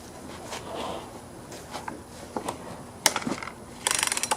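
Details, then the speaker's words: Husqvarna 120 chainsaw: pulling the rope gives loose ratcheting clicks and a rattle with no steady cranking. The starter seems to slip; the owner suspects the pull-rope mechanism, or possibly cylinder compression, unconfirmed. "see how it kind of it's just kind of missing in there you know i can't really pull it enough to to crank it so we'll probably go down in here and look at the the pull rope mechanism and see if anything has broken or uh if it's slipping something's going on in there"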